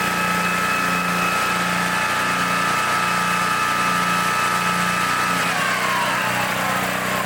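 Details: 1960s Bolens Lawn Keeper mower with an unadjusted carburetor, stored for at least 15 years, with a new air filter fitted: a steady, even single-cylinder drone with constant pitch easing slightly at the end, no misses or knocks. Normal running.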